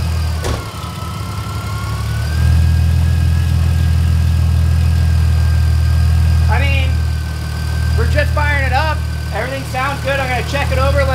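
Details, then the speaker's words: Mercedes SLK32 M112K supercharged engine, 65mm supercharger pulley and 178mm crank pulley, just fitted with upgraded intake manifold: engine catches and settles into steady even idle with faint supercharger whine, no knocks or misses; normal idle. "now we gotta see how it sounds I don't know if it's gonna sound any different but we'll see"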